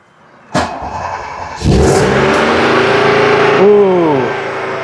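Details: First start after a long winter, new battery: starts and runs at a loud steady high speed around 3,000 rpm, dipping briefly; high cold-start idle, cause unknown.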